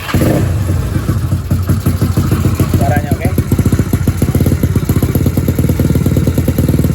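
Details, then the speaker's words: Yamaha Mio single-cylinder scooter after broken valve spring repair and reassembly: steady, even low thrum with no tapping or clatter, starts easily; healthy engine. "Nih motor udah hidup. Tadi udah dihitung dari dayalan segala macam. Kita tes hidup ya. Starter gampang."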